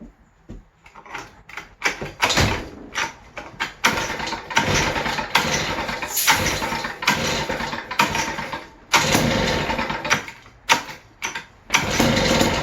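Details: West Bend 580 two-stroke engine, sat unrun for months, after new recoil spring, starter cup and dogs: uneven sputtering flaring and fading every second or two; won't idle, owner suspects dirty reed valves.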